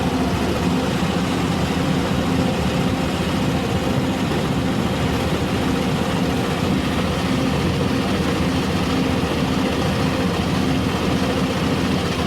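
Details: R480LC diesel idle: heavy rumble with an uneven, lumpy beat and slight stumbles, a misfire from an injector nozzle problem.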